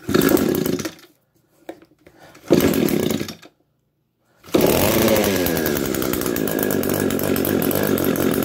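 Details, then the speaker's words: Echo PAS 225 string trimmer after ignition coil replacement, cold start: a couple of pull-cord tugs, then the engine fires and holds a steady high buzz without missing; normal running. "There she goes, you guys."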